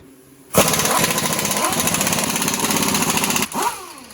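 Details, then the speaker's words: Ford F-150 front left wheel: harsh gritty grinding rattle for about three seconds, then winding down, developed over about 5 km of driving; owner suspects integrated wheel end (IWE) rather than hub, not confirmed. "I was like 5 kilometers away from home when I started hearing it, and by the time I got home it was like really bad, like a grinding noise."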